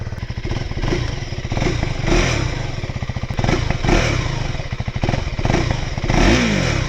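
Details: New single-cylinder motorcycle sharing a KTM engine, started up: single thumps firing at an even pace with a few quick throttle blips; starts and idles cleanly, normal.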